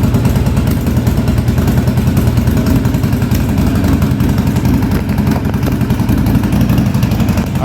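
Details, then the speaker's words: 1983 Yamaha Virago 920 V-twin barn find, just woken after storage, new rear spark plug: lumpy uneven idle, front cylinder kicking in and out; owner unsure whether fuel or something else, rough idle with intermittent misfire. "uh she wanted to come to life there that front cylinder I don't know if it's the fuel or what but it's the front cylinder is kicking"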